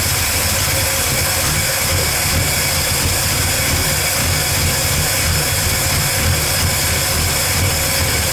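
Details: 1985 Ford F150 300 inline-six after fitting a replacement carburetor and distributor (firing order 1-2-3-4-5-6): steady, even low rumble at idle with no misses or knocks as the choke opens; runs better than before. Fuel filter was leaking gas.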